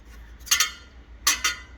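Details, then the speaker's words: Jeep XJ, engine area during harmonic balancer replacement: two pairs of light high metallic tings, like fan blades touching metal; owner thinks some fan blades hit as the fan sits very close; ting. "so obviously uh the fan is real close i think some of the blades actually do hit it okay maybe not oh there we go"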